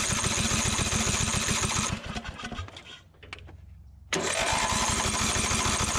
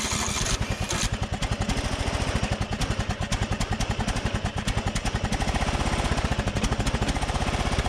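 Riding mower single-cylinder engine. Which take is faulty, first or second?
first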